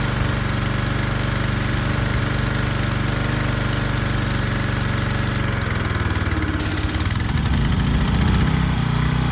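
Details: Troy-Bilt 2700 PSI gas pressure washer, just repaired with a replacement pump head and running with only the red tip fitted: small engine chugs steadily, then sags and labours and nearly stalls as the pump loads it; unloader valve misadjusted, bogging the engine.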